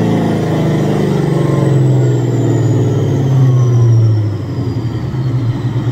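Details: Supercharged Coyote V8 Ford Fairmont on dyno, about 900 rear-wheel hp, new Magnafuel 750 pump on boost-referenced return fuel system: deep even roar held hard under full load, no misses or stumbles; plenty of fuel, normal full-throttle pull.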